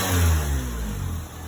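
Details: 2002 Honda Civic EX four-cylinder after bypassing failed AC compressor clutch with another belt: starts up, short rev rises and settles cleanly, steady drone, previous whining sound gone; runs smoothly.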